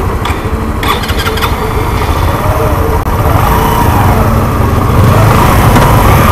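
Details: Suzuki Intruder 125 motorcycle, hard to start after sitting about a month; owner suspects fuel damage and a dirty carburetor: it catches, then runs rough with uneven, faltering beats at low revs, a misfire. Cause not confirmed.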